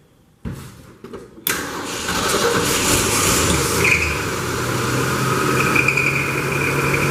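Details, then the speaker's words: A 1966 Ford F100 on its first start with a freshly installed carburetor catches after a few starter bursts and settles into an uneven, slightly hunting idle. It runs fairly well, but the carburetor idle setting needs adjusting. "well sounds like the idle needs a little adjustment but uh it's running pretty good"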